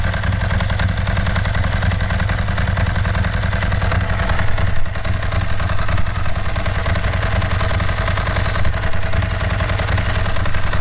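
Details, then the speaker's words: Ducati 916 just started on a new BS BSLi-05 lithium battery replacing a failing Yuasa YB16AL-A2: loud steady lumpy twin-cylinder idle with no misses; normal quick start and idle. "So I suppose the thing is, a few minutes ago I did have the standard battery start it up, but let's just see how it starts up with the new lithium."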